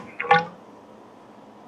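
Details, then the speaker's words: 1997 Harley-Davidson Dyna Wide Glide fork being refilled with premium ATF after a fork seal fix: 8 ounces poured into the dry tube, then pumped up and down; wet squelching gurgles as air bubbles out of the damper. "You'll hear it gurgling. And what you're doing is you're getting all that air out of that"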